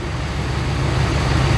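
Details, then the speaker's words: 2001 Ford F-150 4.6L V8 2WD after PCV valve replacement (previously rough idle, gallop, surging and power loss; spark plugs and EGR already ruled out): smooth, steady idle with no lope, gallop or missed beats. "I mean, no gallop, none of that. It's just boom, boom, boom, boom."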